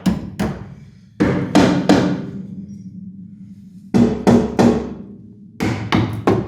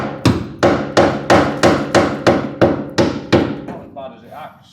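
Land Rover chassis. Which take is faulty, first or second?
first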